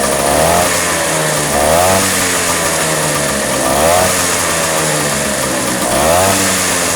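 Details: Vespa two-stroke scooter after a carburetor cover (deksel karbu) setting for flooding and hard starting, with ignition normal and oil topped up as it seemed low; it runs steadily and picks up cleanly on throttle blips every couple of seconds, running fine.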